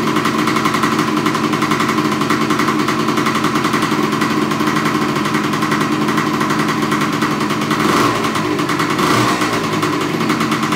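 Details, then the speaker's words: Suzuki TS125 two-stroke after top-end rebuild, first cold start of the day (usually 3–4 kicks when stone cold): crisp, rapid, even popping holding steady with a couple of throttle blips; runs cleanly. "It normally takes, when it's stone cold, 3, maybe 4 jabs on a Kickstarter to get it started. But we'll see how she fires up and you can hear it run."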